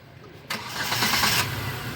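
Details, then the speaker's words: New Hyundai Santro, 890 km, after repairing misfire and overheating with sludged oil and cut coolant hose, run on water before coolant: quick crank, clean catch, smooth quiet idle. "दोस्तों जो गाड़ी की sound सुन सकते हो बिल्कुल silent हो चुकी है गाड़ी"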